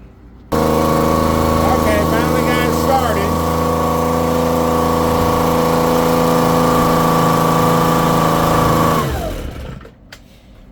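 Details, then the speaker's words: Echo PB-250 two-stroke blower on 50:1 fuel, after a carburetor, air filter and spark plug replacement: it fires up and buzzes steadily for about eight seconds, then sags and dies. Owner suspects it is out of adjustment or not yet warmed up. "And it stalled. It's probably out of adjustment or it's just not warmed up yet."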